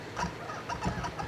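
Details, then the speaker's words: Kurzweil PC88 keyboard: quick chirpy squeaks, four or five a second, as keys are pressed, from dry key felts; treated with white lithium grease. "oh yeah see that drives people crazy when they play it sure does the audience doesn't really hear it so much but oh boy the keyboard player hears it"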